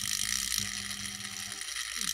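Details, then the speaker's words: Fast, dense clicking with a bright hiss over low hum from a washing machine motor on a TDA1085c speed controller, set up for a grindstone; brushes click when run against their seating direction. "clicking noise you can hear there is the brushes if we're rotating against the direction brushes are in like this and if they were in like that you wouldn't hear the clicking"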